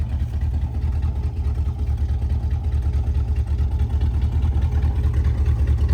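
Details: 1974 Chevy C20 V8, revived after five years in a scrap yard, given some gas: deep, even rumble with a steady pulse, about two beats a second, no ticking or exhaust puffing; runs clean and healthy.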